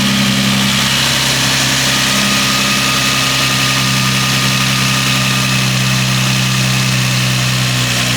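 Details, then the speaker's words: Nissan 350Z idling after replacing alternator and A/C drive belts and setting tension; a squeak would mean overtight belts: smooth, even idle hum with no squeal or chirp; belts correctly tensioned, normal idle. "just want to make sure there's no abnormal noises or squeaking. If you heard like a squeaking noise, then you might have the belts too tight."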